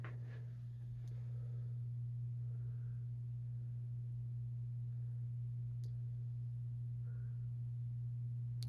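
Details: 52-inch Hunter Builder Elite ceiling fan on high setting: steady low motor hum, turning sluggishly and barely faster than low speed; bad capacitor suspected.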